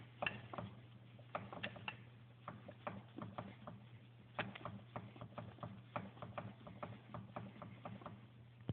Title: Piston slap? 800 etec